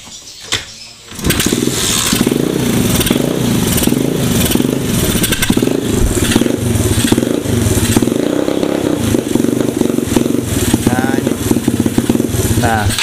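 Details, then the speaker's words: Mini trail bike with Honda 70-based engine and gears, brought in as not starting: starts, but the idle keeps rising and sagging when throttle is held, like running rich. "saya bilang enggak stabil karena apa? Karena ketika saya tahan gasnya gini, dia kayak motor keborosan."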